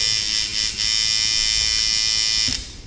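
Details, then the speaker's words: Sidewinder V3 tattoo machine after shortening the stroke to remove choppiness, about 1 mm spring tension: steady, crisp high-pitched buzz with good impact, still sound down to about 5 volts; running normally. "it has a good a good impact you can hear it sounds crisp I can turn it down to about 5 Vols and it still sounds like like a tattoo machine should"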